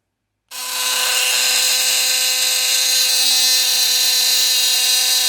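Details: Philips Sonicare HX683B sonic toothbrush sent for repair: switches on to a harsh, loud, steady rattly buzz rather than a smooth hum, brush head dangles loose and it doesn't clean; cause suspected, not confirmed.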